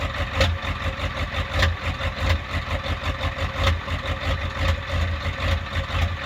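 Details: 1993 Ford F-350 7.3 IDI diesel, cold start at about 15°F; deep diesel clatter surging and sagging a few times a second at cold idle, an uneven lope with no clear cause.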